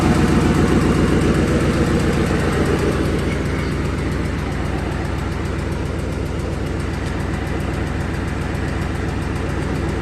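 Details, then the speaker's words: 2008 Ford Mustang GT with a replacement V8 from a donor car, 75,000 miles, at idle: even, steady burble with no ticking or knocking. Sounds healthy. "so we got our donor car with a no 7gc this motor has 75,000 miles on it see sounds perfect"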